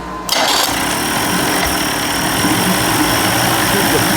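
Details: 1990s 30 hp Evinrude outboard after carburetor rebuild, heavily primed, cold start at high idle: catches into fast buzzing idle with uneven beat and occasional dropped firing; cold engine missing.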